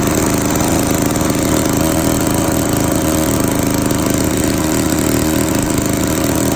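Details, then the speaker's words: Victa 18 two-stroke lawn mower, first start after purchase, primed, throttle about halfway, started on second pull: steady buzzing run with even exhaust beat, no misfires or surging; fuel tap leaking. "that was interesting it started on the second pool very happy with that"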